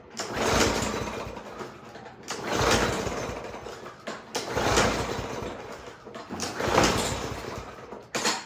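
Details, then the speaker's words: Toro lawn mower before tune-up, gas confirmed; four or five recoil pulls about two seconds apart, each a brief whirring crank that never fires, no-start; dirty, wet air filter found afterward, suspected to stop it breathing. "All right, doesn't want to start, so we'll take off the air cover filter, or the air cover."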